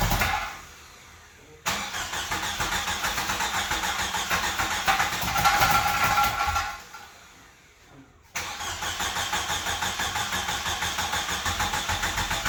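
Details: 1995 Jeep Wrangler YJ, first start in years after new fuel pump and filter replaced a shot pump and rotten gas: cranks, catches and dies, then restarts and settles into a steady, regular idle without misfires; normal start and idle.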